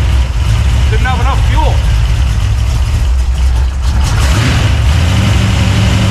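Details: 383 stroker small-block, just installed in a 1970 Monte Carlo, idling at its first fire-up in the car: a deep, choppy, rhythmic lope from the big cam, steady and not stumbling. Normal lopey cam idle.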